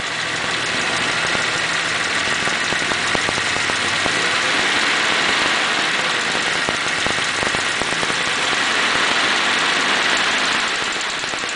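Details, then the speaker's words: 1941 Pontiac engine warming up, revved: it stumbles and drops number two cylinder for a few seconds as a sticking valve (lifter) hangs up, then smooths right out. "can hear it start hanging up a little bit and all of a sudden just as quick as it came on it fixs it right up and smooth right out what"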